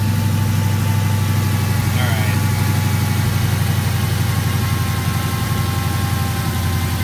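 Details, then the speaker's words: 2016 Dodge Challenger Hellcat after supercharger replacement for bad ball bearings at 4,800 miles, hood open, settling to idle: deep steady V8 idle with only faint blower spin, no bearing rumble; even quieter, exactly as it should be. "especially once the engine starts idling even quieter [Music] which is exactly how it should be"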